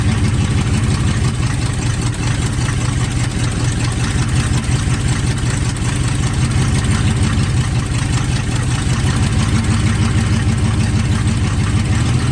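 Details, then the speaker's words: 1980 Chevy K30 squarebody V8, TH350 automatic after fluid, filter and pan gasket service plus a fluid top-up: deep steady idle, even pulses, no clunks or slipping; the transmission tries to go in drive and reverse, but the locked front driver's caliper stops movement. "holy we have a transmission holy all right so that's a really good sign"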